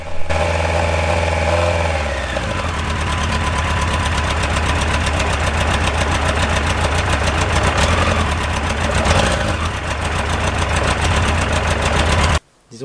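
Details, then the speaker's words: Four-cylinder XGR first run, started without choke: steady idle with an uneven, lumpy beat as one cylinder keeps dropping out, a small odd noise; dead cylinder from a cracked spark plug. "ceux qui connaissent le bruit d'un 4 cylindres vont se douter d'un [Applaudissements] truc vous les entendez là c'est tout petit bruit chelou là on en reparle"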